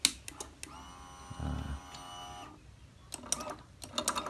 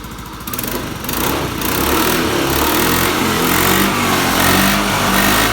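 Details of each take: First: Honda Beat scooter after crankshaft position (CKP) sensor replaced for lost ignition, electric start: short thin starter whir lasting about a second that never catches; drained battery can't spin the engine, so kick-started instead. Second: Honda Beat scooter after CKP sensor replaced for lost ignition, kick-started because of a drained battery: small single-cylinder catches and settles into steady buzzing idle with a few light revs, running evenly; normal running.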